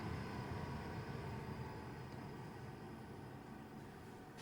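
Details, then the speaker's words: Hcalory HC2 diesel heater, about two minutes after shutdown from hot running. A faint, steady whir with no burner roar as the fan keeps turning slowly to cool the unit. Finding: normal cooldown fan run. "So, the unit is off, but the fan's still blowing just slightly. So, it it hasn't shut the fan off all the way. So, it's still trying to cool itself down, which is good."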